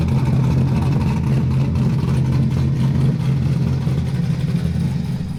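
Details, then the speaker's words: LS V8-swapped Nissan 240SX at idle, outside on the ground, tune still being set up: deep burble with an uneven, loping beat around four pulses a second that never settles; throttle position sensor and IAC settings not yet dialed in. "But I don't know what I'm doing with the throttle position sensor and the IAC sensor. So we're gonna wait till he comes over here, helps us get all that dialed in."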